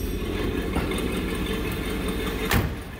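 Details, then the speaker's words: 1959 Buick LeSabre with its original, numbers-matching 364 V8 and unrestored engine bay, idling after start with oil pressure up. A faint puffing tick under the steady idle, heard under the hood: a small exhaust manifold leak. "it's got a little bit of an exhaust leak under the hood you can probably hear that something obnoxious what it is"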